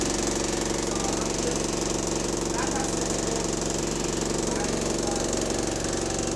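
A steady, even knock at about 200 per minute rides over the diesel's drone, pointing to a bottom-end knock, likely a worn rod bearing.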